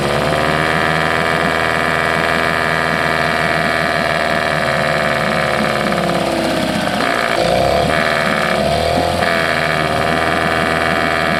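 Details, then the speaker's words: 1979 Johnson 6hp outboard with low compression: small two-stroke running unevenly, its note wavering and surging about two-thirds through; owner suspects fuel starvation, possibly a dirty fuel pump. Cause is unconfirmed. "I mean in a way it sounded like it was starving for fuel"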